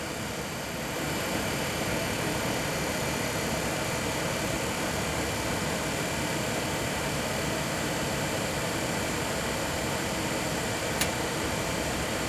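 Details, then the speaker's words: Suburban SFV-35FQ RV furnace that had been lighting then going out three times into soft lockout, during repair testing: steady even blower rush, no rattle, squeal or scrape, then flame ignition; blower and ignition normal. "we have ignition it flamed"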